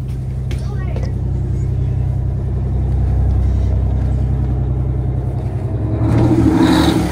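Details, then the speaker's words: 1989 Grand Villa with two-stroke Detroit diesel, just started, one battery dead, starting to charge: deep even firing beat picks up cleanly with revs and drops back to steady idle; not loud inside; normal running. "that thing sounds good I think it's really not that loud in here with it running"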